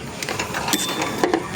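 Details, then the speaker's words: Mitsubishi Adventure 4D56 won't crank, only clicks, though dash lights work; a jumper wire from battery to starter just sparks with sharp crackling snaps and no starter whir, confirming a starter/solenoid fault; starter removed. "Ayan nagkakaroon naman ng contact ng positive papunta doun sa kanyang solenoid start. So lagatik lang."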